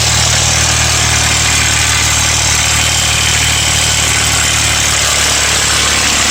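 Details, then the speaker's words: Ford Mustang 4.0 V6 at about 120k miles: busy metallic rattle/knock over a steady idle, loudest near the timing chain; owner almost certain of a broken timing chain guide/cassette, engine to be replaced. "Sounds like it's coming from right up here. Doesn't sound real good."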